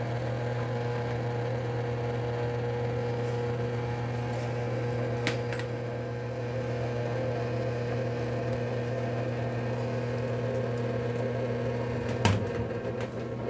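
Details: HVAC condensate pump that was not pumping, after clearing a clogged check valve and flushing the line: steady low motor hum with even pitch, no rattle, gurgle or labouring. Normal running.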